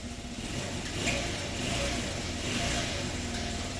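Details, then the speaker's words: Honda Elite CH80 scooter just after an instant cold start, carburetor still needing tuning: a small single buzzing steadily with a couple of mild rises in pitch as blipped; it idles and revs normally. "Let's see if it starts right up. Feel a little cold. >> Yeah. That was an instant cold startup. Pretty good."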